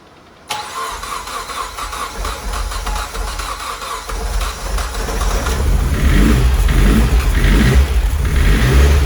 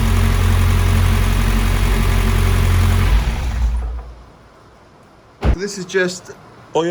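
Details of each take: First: 600 bhp Mitsubishi Evo X turbo build, first start after fitting timing chain, fuel pump hardwired to 12 V: catches after cranking into a lumpy uneven rumble that slowly steadies; rough running, owner suspects too rich, later suspects air leak. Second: Mitsubishi Evo X 600bhp turbo petrol build, first start after fitting the timing chain and replacing the turbo feed banjo bolt: deep, steady, even idle with no knocks or misses. Oil is burning off the new manifold and downpipe; earlier lumpiness was blamed on the 12V hardwired fuel pump.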